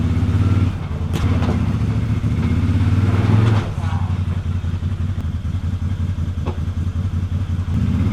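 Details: ATV winch after a shop cable replacement, the cable wouldn't pay out properly: a loud, low motor drone with an uneven rattling pulse under load; the cause of this abnormal noise is not yet clear.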